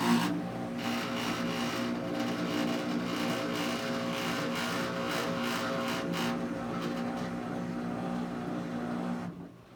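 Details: LG front-load washer model WH2650HWA, bought February 2013: loud steady droning hum with a low whine when starting the wash cycle and at times while running, then cuts off; cause unknown.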